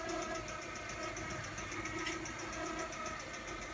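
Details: Mazda 626 GC at idle: quiet idle with a fast, light, regular tapping; owner suspects connecting rod knock on cylinder 1, possibly a pressed-out bearing, hammering worse when hot; not confirmed.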